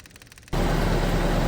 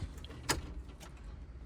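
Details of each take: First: CAT 304 / CAT 259D diesel restarted after a full service with new fuel filters: quiet, then it catches and holds a steady, even run with no stumble; normal running. Air in the lines can make starting hard after a filter change. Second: CAT 304 / CAT 259D diesel after full service with new fuel filters: starter cranks, engine catches about three seconds then cuts out abruptly; air in the fuel line starving it, fixed by priming and bleeding.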